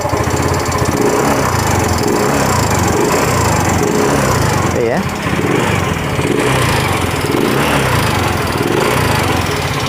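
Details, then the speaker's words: Yamaha Mio M3 125 scooter idling with the CVT removed: steady rapid ticking knock from the front of the engine. It once ran out of oil and now burns oil fast; the worn, oval bore lets the piston slap. "mungkin kedengaran ada suara saya guys dulu tuh terasa di bagian depan sini ya kayak di bagian pistonnya tapi tidak akan menutup kemungkinan itu di bagian stang piston"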